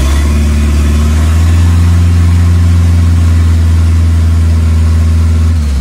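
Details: 2.3L turbo four Lima-swapped into Smokey on PIMPX batch-fire engine management, warming up for base timing check; deep, steady drone at even pitch, dropping away at the end; smooth, normal running.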